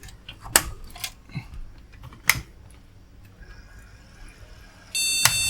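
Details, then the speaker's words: Retro AT PC with a double-sided PC133 RAM strip tried in the next slot: after handling clicks, one long high beep at power-on as the board rejects the memory; owner suspects the double-sided stick. "see one maybe it doesn't like this Ram the doublesided one that might be something to do with it"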